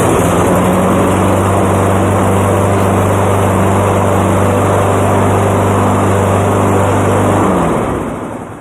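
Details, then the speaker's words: Cub Cadet lawnmower running with wheels lifted to test the drive, still on old dirty air filter causing slight smoke: steady, even engine note at constant speed, no misses or knocks, then clean shutdown; runs properly. "And there you go. Works as intended. Uh it still has the old dirty air filter, which is why it smokes a little bit."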